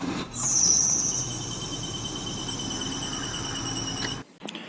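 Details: Car engine with a steady, high-pitched chirping squeal over a quiet hum. Owner attributes it to a wear-loosened engine belt driving the alternator, AC compressor and water pump from the crank pulley.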